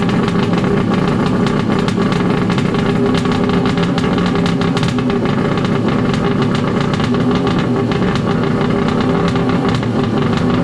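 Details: Wave Blaster jet ski converted from a 701 to an 1100 engine, first start, run to check overheating after an exhaust O-ring seal was removed to improve water flow: loud, steady two-stroke roar with an even beat and no misses. Healthy.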